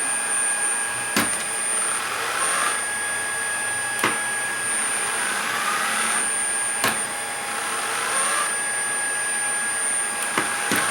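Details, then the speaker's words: Shark ICZ362H Vertex vacuum, brush roll won't spin: steady motor hum with whirring swell coming and going every couple of seconds plus clicks as the roller briefly starts when the head is moved; cause a broken wire running from the handle. "okay the roller doesn't come on but if we turn the head comes on for just a second and"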